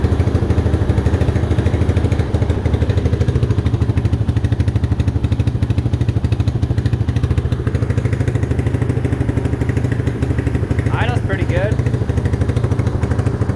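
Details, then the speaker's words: Mojave 250 single-cylinder, year unknown, after timing chain replacement: steady idle about three beats a second, fairly even; owner unsure whether power is as before or timing needs adjusting. "does it feel like it's got power like before or do you think we need to adjust the timing"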